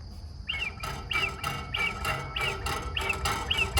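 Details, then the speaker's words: 1987 Gravely riding mower with 27.6 hours, engine running: chirpy whistles pulse about 1.5 times a second from air drawn through a cracked fuel-cap gauge lens, so the fuel system does not pressurize properly. "hear that that is a hissing or whistle sound and that is coming out of that Center slit or crack and unfortunately because of that the fuel system is not 100% efficiently pressurizing as the engine is running"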